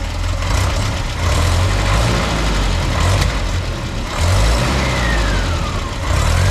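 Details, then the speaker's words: 1967 (stated 1867) Land Rover Series 2a petrol engine just after swapping Solex carburettor for Zenith, new vacuum advance line, primed; runs loud and rough with sharp pops through the rumble, backfiring, cause not yet found. "I don't know. I got to find out about that backfiring there. So, I'll work out what's going on with this backfiring."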